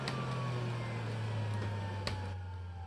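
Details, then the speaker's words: Panasonic Jet-Flow MC-9520 canister vacuum, after running on high at 10.7A and about 101 CFM at 121V: high whine slowly coasting down for a long time, from dry ungreased motor bearings. "to that wine now still going and it finished oh boy what a wine down"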